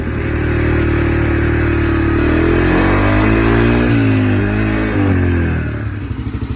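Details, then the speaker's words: Yamaha TTR125 single-cylinder after sitting five or six months, carburetor cleaned and refitted, running on reserve fuel: smooth steady running, blipping up and settling cleanly with no misses; normal running after carb cleaning. "right around some seems to be running good that was a pretty successful thing"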